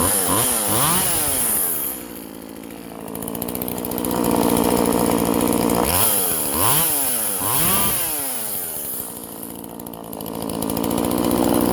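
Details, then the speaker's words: Vintage Husqvarna 136 California-emissions chainsaw that bogged and wouldn't idle, after the plugged muffler was opened up by drilling holes and the carb worked on: crisp two-stroke buzz climbing cleanly on each blip, back to steady idle; normal running at varying throttle. "okay guys now let's see how she runs wow so yeah that's way better i think it was just a plugged muffler"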